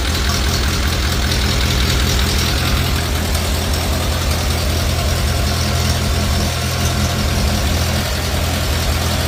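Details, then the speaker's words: 1950 Farmall Cub four-cylinder after engine rebuild with pop-up pistons, new magneto and on-off switch: even steady low putter, clean beat, no knocks, misses or smoke; healthy normal idle. "So she runs pretty damn good. Had to replace that magneto. Sounds good, sounds quiet. No smoke. Purrs like a kitten."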